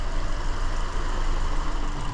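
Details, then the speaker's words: 2017 Hyundai Elantra 2.0 GDI non-turbo idles with deep uneven lope, bucking; very intermittent P0303 cylinder 3 misfire since almost new despite dealer parts; scope shows no secondary ignition signal on cylinder 3. "till misfiring I'm gonna see if I can quickly grab my um secondary ignition pickup and see if I can catch that uh whether or not it's ignition or fuel"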